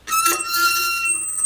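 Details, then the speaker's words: 2003 Hyundai Santa Fe front brakes: high steady metallic squeal over a scrape from the inner pad's wear-indicator tab, warning the pads are worn out. "That's pretty annoying. It's meant to get your attention and let you know, hey, your brake pads are worn out."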